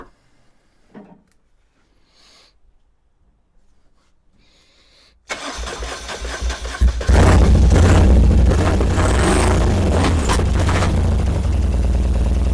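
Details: 1978 BMW R100S boxer twin after years of storage, new plugs, choke on: silence, then cranking that catches into a lumpy, uneven idle on only one cylinder. Gummy fuel is thought to have blocked the left Mikuni TM38 carburetor's fuel passages, and the carbs need disassembly and cleaning.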